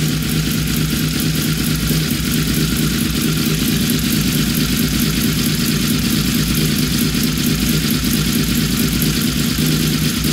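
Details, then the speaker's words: Honda VFR750 V4 after synchronizing the carburetors to cure a high idle, barely warm: a smooth, even, sewing-machine idle with no misses or hunting; it is running normally. "oh yeah i love that sewing machine that thing is dialed in pretty good"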